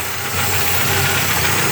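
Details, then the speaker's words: Renault Clio sedan 1.0 16-valve petrol engine idling roughly with a loping, uneven beat; a broken part lets false air in (vacuum leak), oil filler cap also broken; covering the leak raises the idle; mechanic suspects cylinder head removal may be needed. "Quebrou aqui, ó. Então tá dando entrada falsa de ar no motor. Mas olha o barulho que ele tá fazendo."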